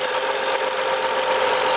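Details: 2011 BMW F07 5GT, 3.0 gasoline turbo engine, 277,000 km, which whistled when hot and in drive. After reassembly, the hot engine settles into a steady, even idle with no whistle or hiss; normal hot restart.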